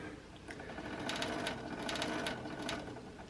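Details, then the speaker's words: Toshiba SD-2800 DVD/CD player: quick chattering whirr about three times a second, repeatedly stopping and restarting; disc slipping in the clamp because the spindle sits too low. "that's why it kind of keeps stopping and starting it's almost like it's detecting a problem and then trying to restart"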